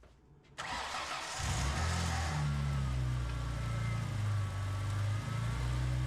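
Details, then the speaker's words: 2003 Ford Mustang 3.8L V6 after exhaust manifold replacement. It catches after a short crank and settles into a loud, steady low rumble; the manifold leak noise is largely gone, though a little something can still be heard. "Well, it sounds like It's no longer as bad as it once was. I still hear a little something, but I'm not too worried about that right now."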